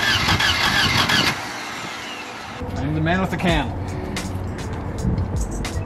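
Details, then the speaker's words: 1978 Volvo 242, not run in about two years, ignition coil just fixed, starting fluid sprayed into intake: cranks, catches a second or two with rough uneven burst, then dies; has spark but apparently no fuel reaching engine. "Oh, it's got spark, it's got, and that probably doesn't have fuel."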